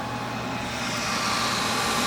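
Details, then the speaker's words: Country Smokers pellet grill after replacing the fire-damaged temperature probe: steady, even whir with a faint constant tone and no rattle or scrape; fans running, normal fan operation. "got our fans are going everything's working"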